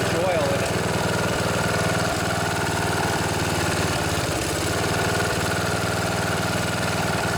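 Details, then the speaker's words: Snapper SR1028 rear-engine riding mower, Briggs & Stratton flathead single, on choke without air filter after freeing locked engine: chugs fairly steadily then stumbles with uneven coughs and sputters, smoking; cause unconfirmed. "well it doesn't run too bad actually got a little bit of a cough and a sputter there that i'm sure smoked out my old junkyard here"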